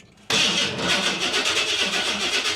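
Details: Big-block V8 with an EFI computer, fuel pump primed but not kicking on during cranking: starter churns at roughly four to five beats a second with no firing; cranks but won't catch.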